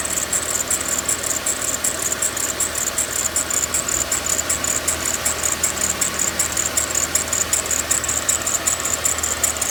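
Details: Mercedes-Benz ML 350 on cold start: sharp belt-drive chirp repeating about 2.5 times a second over a quiet idle, lasting the first 5–10 minutes and gone once warm; owner suspects tensioner or belt.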